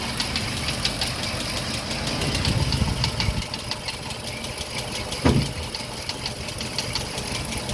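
A light, fast ticking clatter rides over a lumpy idle and keeps going steadily, consistent with worn cam followers rattling.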